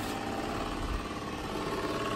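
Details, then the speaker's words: Peugeot 406 with XU10JP4 engine (complaints of oil leak and overheating), radiator cooling fan newly rewired through a relay, running on low speed: steady, even whir under a quiet idle, no rattle or scraping; fan turns smoothly. "Ya, sudah high aja beda suaranya kan? Ini low, ini high, ini low. Yang tadi high, suaranya beda."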